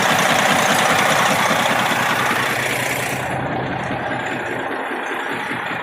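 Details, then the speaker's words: Detroit Series 60 12.7L diesel in a parked truck, idling warm after about 45 minutes, hood open, still holding good oil pressure: a steady internal knock about 2.5 per second; owner suspects broken piston skirt, wrist pin or rod bearing, others suggest bull gear, unconfirmed. "My thought is it could be a broken piston skirt. This may have it, I assume it's a two-piece piston, but I'm not sure. It could be a broken skirt in the piston, could be a wrist pin problem, could be I hate to say a rod bearing because it holds such good oil pressure even when it's warm, like you see."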